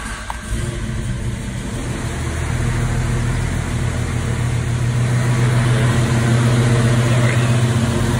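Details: 1987 Toyota FJ60 Land Cruiser with Holley Sniper EFI replacing the carburetor: the engine settles into a steady, even idle and picks up smoothly as revs rise, with no misses or knocks.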